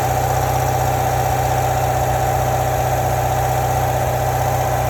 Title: 2017 C7 Corvette GS M7 Rattling Noise In Low RPM From The Engine Compartment